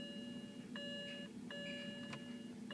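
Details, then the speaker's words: 2007 BMW E92 328i 6-speed manual, clutch fully down and start button pushed: only a repeating two-tone warning chime, no starter click or cranking; no-crank, starter suspected, not confirmed. "but I just want to show you that the car is not starting put your foot down in the clutch there"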